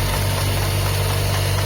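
Steady low idle with a rough, uneven knocking rattle under it: a timing belt that has lost teeth.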